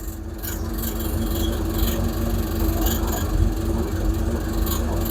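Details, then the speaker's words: Hemi Plymouth Duster V8 with four-speed, idling after alternator fix: steady low rumble with a light tinny rattle over it from a door that has no glass fitted, so it buzzes loose. "That rattle is from that door over there. That I don't got no blast in it right now, so it rattles."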